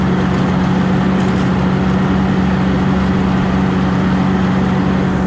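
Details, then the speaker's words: Steady, even hum with no misses on a Cub Cadet Low Boy 154 tractor in the field after fixing a skip; runs the best since owned, normal running. "Hello everybody, as you can hear, it's running pretty good. Here in my back field."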